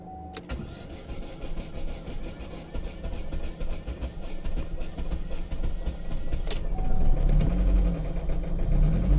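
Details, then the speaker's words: Chevrolet Orlando 1.8 (F18D), replacement engine fitted a year ago, code P0011 intake cam over-advanced: long even cranking without catching, then rough uneven stumble into life; hard starting and rough running from cam timing one tooth out. "All right, I'm going to start it up and see if I can hear that noise and if we can hear if it starts fine. Okay, now it seems it doesn't even want to start at all."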